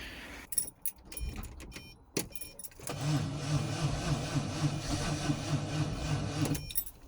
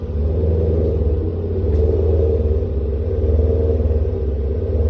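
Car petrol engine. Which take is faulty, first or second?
first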